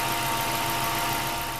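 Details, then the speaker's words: 2002 Ford F-150 4.6L V8 4x4, bought with 120,000 miles, P0401 code: idle goes lumpy and uneven when the EGR valve is opened by tapping vacuum at the EGR regulator, the expected response of a working EGR system. "you can hear how rough that thing's running now compared to the first time we tried it all right there you have it that's what it should sound like at least on this F-150 with the EGR system and properly"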